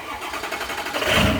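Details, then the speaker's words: 6.0 diesel truck with intermittent no-start, engine dies when the coolant bottle is installed: with bottle removed, a short crank then it catches at once and rises to a strong steady run; normal start. "right up fires up got the bottle out of it running like a champ rather a champ"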